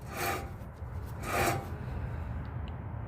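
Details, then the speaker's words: 2020 Ford F250 front wheel hub, turned by hand after removal; the truck had a rhythmic noise from about 10 to 20 mph: two dry, gritty rasping strokes instead of smooth rotation. The hub bearing is rough and worn. "But I don't know if you can That's That's not supposed to sound like that."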